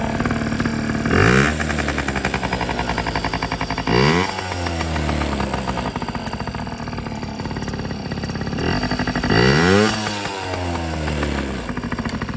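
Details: Yamaha PW50 two-stroke after full rebuild (carb, cylinder top end; has compression and spark): revving up in quick blips and dropping back to a steady idle, freely and evenly; running normally.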